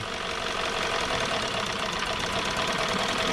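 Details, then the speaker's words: 2017 Hyundai Sonata with code P0303 at idle: irregular stumbling thud about four times a second; swapping coils changed nothing but swapping plugs moved the misfire, confirming a bad cylinder 3 spark plug, fixed with a tune-up. "a change but this one there's no change so this means we have a bad plug and not a bad summer"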